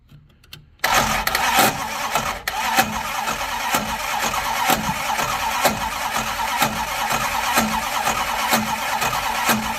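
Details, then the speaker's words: 1972 Plymouth Fury I, long neglected, in park with a mini starter fitted: slow uneven labored cranking, no catch; owner suspects a bad spot on the torque converter ring gear or possibly a bent pushrod, unconfirmed. "That does not sound good still. Maybe there is a bad spot on the torque converter, which would be a first for me, unless I've got something bent, like a bent push rod or something, which that's possible, I suppose."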